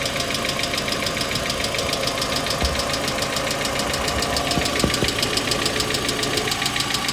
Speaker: ну а мы продолжаем самой распространенной неисправность современных двигателей это стук гидрокомпенсаторов